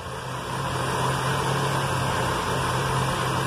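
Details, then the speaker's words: Chevy with excess black smoke and hard cold starts, idling after fuel pump pressure was lowered with a 10 mm wrench: an even, smooth low idle hum with no misses or knocks; the engine feels a bit more stable. "eso nos va a ayudar y hasta se siente un poquito más estable el carro"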